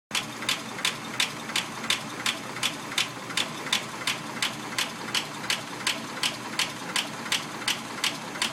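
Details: Packard engine: sharp, even ticking about three per second over a soft engine hum, a steady top-end tap; lifter ticking suspected, not confirmed.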